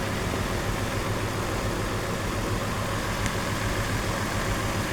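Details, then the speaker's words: Nissan Pathfinder 4.0 L V6 idling with a misfire: uneven, lumpy low beat. Unplugging cylinder 5's connector made no change, showing cylinder 5 is dead; coil swap planned next. "نفك الفيشه زي ما شايفينها وما حصل اي رده فعل كده معناه ده نمره كم خمسه"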